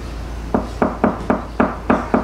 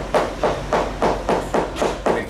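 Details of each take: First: Hammer tap test on a catamaran's cored fiberglass hull, tapping low then higher where the laminate should have a firm core: crisp, even, solid thuds about four per second with no hollow ring, meaning healthy, well-bonded fiberglass. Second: Tap test with hammer on fiberglass yacht hull: even taps about three a second turn dull and hollow, hollowness in the first layer leading toward the center of the problem; delamination, possibly insufficient resin.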